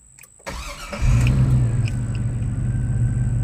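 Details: 2002 Chevy Silverado 5.3L start after fuel pump replacement, key cycled 3-4 times to prime fuel: brief quiet, engine catches within a second and settles into steady even idle with no misses or knocks.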